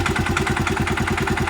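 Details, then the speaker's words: 2017 Suzuki King Quad ATV under 1,000 miles, idling: rapid, even knocking pulses over the idle thump; owner unsure whether it is a bad engine knock or bad clutches. "it's 2017 it's got under 1,000 miles it either knocks really bad or it's got bad clutches I don't know the difference"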